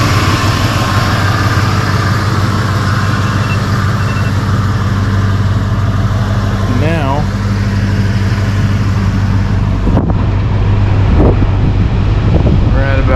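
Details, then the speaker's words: 1995 Ford Bronco after R134a AC recharge (clogged orifice, leaking high-pressure switch): steady low idle with even compressor drone, clutch spinning non-stop with no clicking in and out; cabin cooled to about 50 degrees. Normal continuous AC compressor running. "this clutch now spins Non-Stop and all we have to do like I said earlier is turn your AC off before you turn the truck off"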